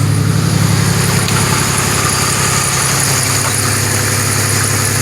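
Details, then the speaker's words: 2006 Pontiac Grand Prix, no cat, mufflers and resonator, downpipe bolted but flange unwelded: loud raspy idle with a sharp ticking puff on each firing pulse, exhaust escaping at the unsealed downpipe joint. "Wow! Well, it definitely still has a couple leaks."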